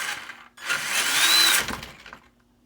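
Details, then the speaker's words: Traxxas Summit RC truck, motor refitted after setting spur gear mesh between too tight and too loose, run briefly between forward and reverse: short smooth electric whir with no slipping or skipping; normal gear mesh. "I think that's good guys no slip between you know kind of kicking between four in Reverse it sounded pretty good"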